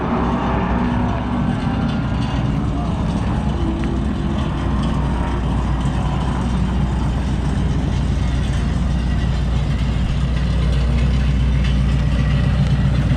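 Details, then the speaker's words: Ford Mustang Boss 302 track car with side pipes, after two warm-up laps: uneven metallic rattle over a lumpy V8 idle, thought to be loose exhaust; actual cause was the broken one-piece aluminum driveshaft. "something's wrong with the exhaust there's a rattle we don't know what exactly is wrong but rattling coming from the exhausts"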